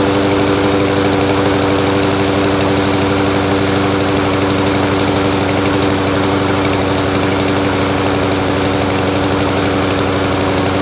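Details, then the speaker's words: Free curbside mower left out in rain, oil overfilled and oil cap loose, smoking: small single engine chugs unevenly around three beats per second with loose knocking edge; running rich, cause unconfirmed. "definitely running rich"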